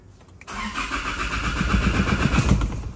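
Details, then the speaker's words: Engine cranks at about four even pulses a second but never starts; no fault codes stored; with the fuel line removed, no fuel reaches the pump, pointing to fuel starvation. "เราให้ทีมงานเราถอดท่อน้ำมันเชื้อเพลิงออกมาเปิดสวิตช์ออดูน้ำมันอุยไม่ไหลมาตรงปั๊มเชื้อเพลิงอีกแล้วครับท่าน"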